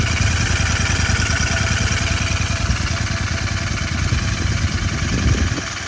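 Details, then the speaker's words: 2024 Royal Enfield Continental GT650 twin at idle after first service: light quick ticking about three per second following engine speed; head opened, valve tappets found loose. "ਇਹਨੂੰ ਲੋ ਵੀ ਟੈਪਟਾਂ ਢਿੱਲੀਆਂ ਆਈਆਂ ਆਪਣੇ motorcycle ਦੀਆਂ right ਡਰ ਦੀਆਂ"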